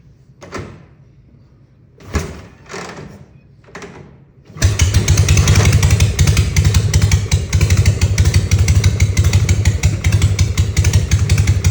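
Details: 1960 Harley FL Panhead, cold: a few failed cranking bursts, then it catches and runs rough at a low, lumpy beat; hard cold start despite new carb spacer, O-rings, plugs, float reset, and verified timing and points. Cause unclear.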